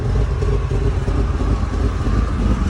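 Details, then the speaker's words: 1998 Ford Expedition 5.4 V8 with rebuilt engine, check engine light on: deep lumpy idle with stumbles like a slight misfire, caused by an unmetered air leak where the mass airflow sensor housing's bottom grommet was not seated; MAF intermittent code. "all right so i turned it on and it sounds like a little misfire sounds pretty rough"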